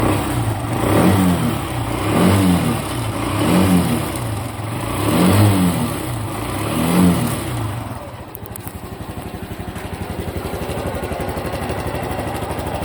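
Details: Honda Cub Pro small single, abnormal engine noise after an oil change meant to fix it: revved in slow swells about every 1.4 seconds with a loose clatter over it, then settling to a fast ticking idle. Source unclear.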